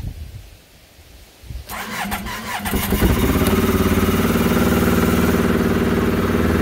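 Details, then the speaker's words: Yamaha Phazer snowmobile, cold engine with low battery and slow starter, fuel primed through gauge diagnostic modes 36–37 opening injectors: brief cranking, catches within a second, settles into steady even idle about four pulses per second; normal cold start. "fires right up idles right away"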